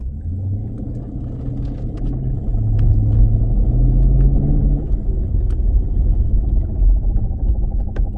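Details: 2016 Dodge Challenger Scat Pack while driving: low droning rumble underneath, swelling with speed then steadying; bad driveshaft carrier bearing, fix is dropping exhaust and driveline to replace the dealer-only bearing.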